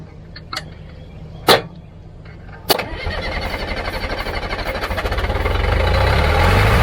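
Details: Old Caterpillar diesel after bleeding air from injector lines; couple of sharp clanks, then catches and settles into a steady quickening chug that grows louder and evens out; now running.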